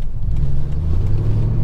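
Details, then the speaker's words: 300,000-mile Ford F150 V8 driving after fixing a misfire with a new set of eight ignition coils: deep steady rumble, even with no stumble or skip, idling and driving much better. "I'm not even kidding you it is really amazing how well this thing is running now"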